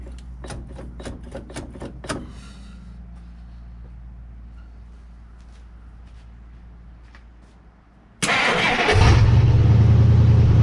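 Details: Barn-find 1958 Dodge Coronet Lancer V8, sat 30 years: a few ticks, then it catches and revs lumpy and uneven. Owner is convinced it isn't firing on all eight cylinders and suspects the points.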